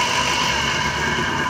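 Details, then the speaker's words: Water pump motor running before bearing replacement: a steady hiss with a gritty rasp and thin ringing tones over the motor hum, caused by worn motor bearings that need replacing. "पहले आपको चलाकर check करवा दें, ये आवाज़ दे रही है, ये देखें ये आवाज़ दे"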